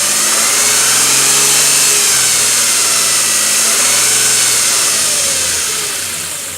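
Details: 2007 Nissan Frontier V6 at idle: a steady high whine that climbs with revs and started suddenly. Timing chain whine, which the owner found to be a common issue covered by Nissan bulletin NTB09-128, repaired at the dealership.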